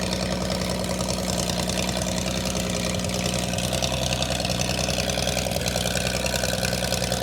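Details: Holden red motor 173 ci (2.8 L) six, about 1971, ex-Bedford CF van, first run after years laid up: steady, even idle with low regular thrum, no knocks or misses; running smoothly.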